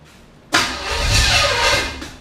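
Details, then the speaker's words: Chevy 5.7 SBC in a 1980 Camaro, first start, with gas and distributor advance being tried. A short crank nearly catches, then fades without idling; it stumbles, and the owner says it needs more advance. "almost a little bit more gas a little bit more advanced just needs more advanced"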